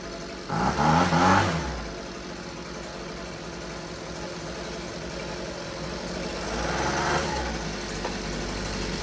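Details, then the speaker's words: Husqvarna 125B two-stroke leaf blower, sat for years with fuel, purge bulb blown, now on fresh fuel, primed, no air filter. Catches and blips unevenly to a rough, wavering idle, hesitating when throttle opens. Owner may open the low-speed screw slightly. "Can't really, I might open the low speed just a touch. It seems to fall on its face a bit when you open the throttle, but I gotta open some doors real quick."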